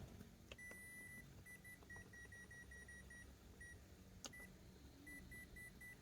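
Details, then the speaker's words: Toshiba rice cooker converted from 100V to 220V, plugged into 220V: repeated short high-pitched beeps after pressing cook instead of heating, a fault alarm; cause unconfirmed, possibly control board or internal power supply damage after the voltage conversion. "Như này là vẫn tít tít tít này. Bình thường này nếu mà khi mình bỏ xo ra là nó sẽ nấu phải là phải nấu bình thường nh các bạn nhá"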